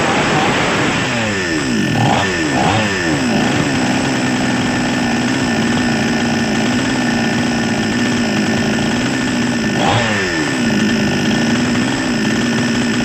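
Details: Small Chinese two-stroke chainsaw, previously hard to start, runs again after a cheap broken part was replaced; starts and holds a steady buzzing idle, two throttle blips rising and falling cleanly, healthy.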